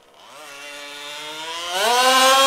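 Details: HPI Baja SS rebuilt from an eBay junker, Zenoah G320 two-stroke with V2 Dominator pipe on 91-octane ethanol-free fuel with Bel-ray oil at 32:1, during high-speed needle tuning: sharp buzz climbs steeply in pitch as the throttle opens and revs freely and thin; slightly lean, later sorted.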